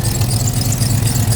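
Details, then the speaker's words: 1991 OBS truck, warming up before long-tube header install: loud rough idle with a quick puffing tick on each exhaust pulse, heard on one side only; leaking exhaust manifold, plus a belt squeal. "But then when I come over here, now you hear how ugly it sounds? She's so sick."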